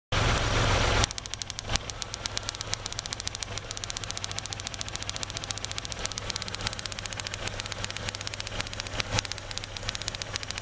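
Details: 2003 Kia Rio after crank-no-start, running rough: sharp snapping ticks about three or four a second over a shaky idle as the coil pack arcs between towers for cylinders 2, 3 and ground, lessening as engine warms; ignition coil arcing with misfire.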